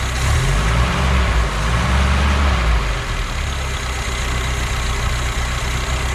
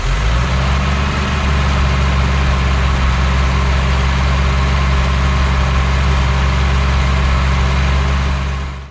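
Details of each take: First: BMW 2002 four-cylinder, revived after sitting since about 2008, running on very old tank fuel plus a little gas poured in; steady, even low rumble with no knocks or misses, idle holds on its own after the poured gas should be gone: normal idle. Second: BMW 2002 first start after sitting since about 2008, with fogging oil in the cylinders: steady, fast-ish even idle with little smoke. The idle sits high because the throttle linkage is stuck and tight.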